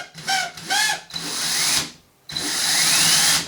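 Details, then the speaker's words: Used DeWalt drill filled with abrasive drywall dust: brief strained whine bursts in reverse before freeing to a steady high whir; spins up fine forward, something binding in reverse, cause unconfirmed. "it seems something to be stucking it in, because if I leave it like this, then it spins up, but this way something gets in the way."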